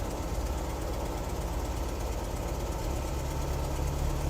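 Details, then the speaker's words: 1973 VW Squareback Type 3 air-cooled flat-four at idle on first start-up after new points, plugs, injectors, starter, vacuum hoses, timing and valve adjustment; headlights, fan, hazards on; steady even idle, no knocks or misses; normal idle under electrical load. "So we've got most of the electrical things turned on. We're still right around 13 volts, and that's just at idle."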